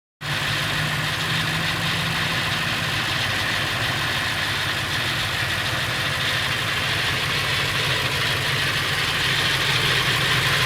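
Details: Late 1999 Ford F350, 7.3L Powerstroke diesel at idle: loose, uneven rattle over the usual clatter, more pronounced under the truck; owner unsure whether flexplate or engine, source unconfirmed.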